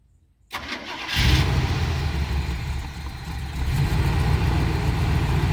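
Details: 1985 Winnebago, 454 big-block with Turbo 400, 32,700 miles, off road nearly 17 years, starter jumped: cranks, catches, rough uneven low idle with oil pressure; hard start after long storage, seems to run only while fuel is fed.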